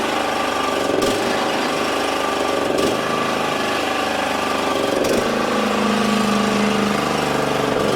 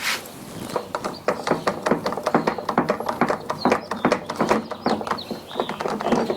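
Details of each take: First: Exmark 21-inch commercial mower, after wheel work: even, rapid engine chatter runs steadily about twelve seconds then shuts down, with no grinding from the wheels; healthy. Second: Exmark 21-inch commercial mower, wheel turned by hand, engine off: irregular gritty clicking and crunching about twice a second; worn wheel bearing, side uncertain, either wheel possible.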